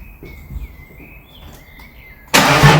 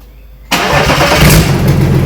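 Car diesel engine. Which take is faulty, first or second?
second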